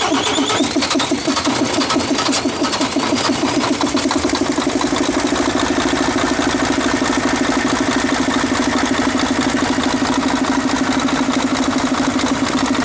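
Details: Mercedes-Benz 1841 truck diesel after fixing a hard-starting fuel line problem: steady, even clatter settling into a regular idle with no stumble or hunting; fuel supply sounds fine now.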